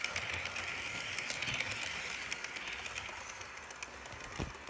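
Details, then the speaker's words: Bachmann BNSF GP40-2 model locomotive from a Rail Chief set, hauling a short train: light, fast, irregular ticking and creaking over the soft motor hum, sometimes stopping and starting; rough drive mechanism, cause unclear. "You know, even though it's gonna make a noise, I guess I might have to get used to it."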